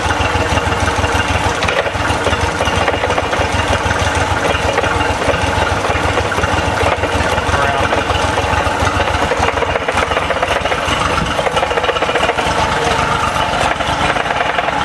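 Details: Honda BF30 outboard, already running rough at idle, sounds normal in neutral but makes a steady, rapid knocking when in gear; owner hopes it is just a linkage adjustment.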